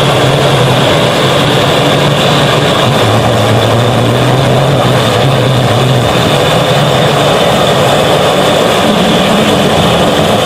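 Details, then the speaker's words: Restored 1930s blowtorch, possibly Montgomery Ward, tank cleaned and seals replaced, half-filled with Coleman camp fuel, about 10 pumps, burner preheated; loud, even rushing roar holding steady with no sputter or surging; normal full flame. "You can see it's a little bit hard to light, and I'm definitely new to this, but after hearing that sound, you can definitely see why they called them a blowtorch."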